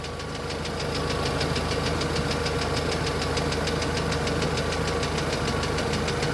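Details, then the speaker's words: VAZ 2112 idle after ignition module and zero-resistance high-voltage leads replaced and throttle body cleaned: smooth, steady, even running with light quick top-end ticking about three per second from hydraulic lifters; misfire cured. "Да и вы сами наверное слышите Как двигатель чётко ровно работает Ну за исключением шума гидрокомпенсаторов"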